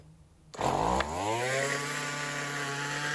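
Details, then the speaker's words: Roadside-found string trimmer with choke linked to primer: catches with a snap, pitch sweeps up and holds a high screaming idle because choke is on; off choke it idled low and died, high and low jets suspected out of adjustment. "there you have it the choke was on it's an interesting model where you can push the primer it pushes the choke on so it rubs really high"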